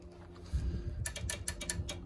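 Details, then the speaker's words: 1973 Firebird, investigating why the fan stopped: about six crisp ticks in a second as the cooling fan relay switches normally, so it's a power or earth fault to the fan; the hot-side wire had fallen off. "if you can hear that so there's got to be a power or Earth issue to the fan"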